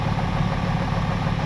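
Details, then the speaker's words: Cummins diesel tow truck that developed a bad knock and blue smoke: uneven, lumpy idle with a missing pulse on one cylinder; a bad injector is suspected but not confirmed. "she needs some help. Wow. Oh yeah. Five cylinders."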